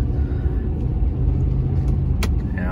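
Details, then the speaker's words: 2010 Ford F-150 4x4 after replacing both front anti-sway bar links, one of which had a loose joint: steady low road rumble over bumps with no clunk or thunk from the front end; repair successful. "all right well i think it's safe to say that the customer complaint has now been resolved and that we have a successful repair and all we needed to do was replace the anti-sway bar links"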